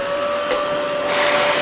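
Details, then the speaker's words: Dyson DC41 head motor (fits the DC40) bench-tested: it runs but gives a harsh roar with a hard whine and gritty rasp throughout, sounding badly worn; cause not confirmed. "Well, yes, it works, but my goodness, does it sound absolutely terrible."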